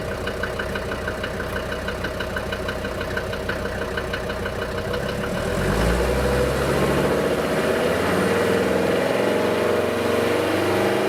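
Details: DB29 diesel at idle, foam in fuel and small bubbles in return line after about 3 minutes, not purging: hard regular clatter about three knocks a second that smooths as revs rise; suspected injector knock, unconfirmed.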